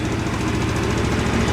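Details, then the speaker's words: Two-stroke scooter after fuel filter blown out, starts on kickstarter with half a turn; fast steady idle, rapid even putter without misses or stumbles. Normal idle. "Заводится с полуоборота с кикстартера. Вот и вся проблема."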